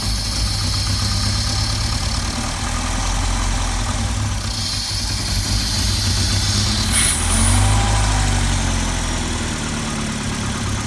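Idle wavers and stumbles, low rumble swelling and sagging unevenly instead of holding a steady beat; rough running, cause not found.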